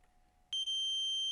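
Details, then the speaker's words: Multimeter continuity test on capacitor removed from ASRock B450 Steel Legend motherboard missing DDR voltage: sudden steady high-pitched continuous beep on probe contact; capacitor shorted, board no longer shorted after removal. "there you can hear it that capacitor is was definitely shorted so now we don't have a shot anymore"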